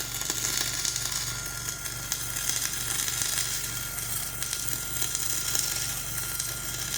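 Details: Dual-shield (gas-shielded flux-core) welding on a preheated outrigger pad, voltage up half a volt, Trailblazer welder one notch up on rpm: steady crackling sizzle with an uneven, sputtery edge over a low hum, arcing poorly over a high, ropey stick weld underneath.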